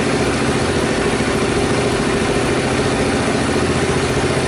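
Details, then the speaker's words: Rebuilt Honda Super Cub at idle just after start, previously noisy after cam-chain tensioner work: loud steady single-cylinder putter, even beat, no ticking or rattle; normal idle. "Not really, I don't hear any strange noises here either."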